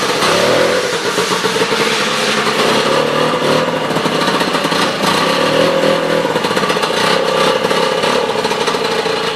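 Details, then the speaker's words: Sno Jet two-stroke snowmobile after new fuel line and fuel filter, now running off its own tank with key start: steady even buzzy note with slight rev wobble, no misses or knocks; running properly. "So yeah, she starts and runs, and I put in a new fuel line and a new fuel filter."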